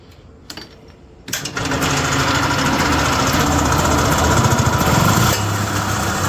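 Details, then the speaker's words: Yamaha G1 golf cart (circa 1979–81) small two-stroke, repaired using manual, key-started without pedal switch: quiet key click, then catches and runs with even buzzy putter; normal running in reverse rotation. "I don't know if you can tell, but that was running the opposite direction, like I said, counterclockwise or clockwise."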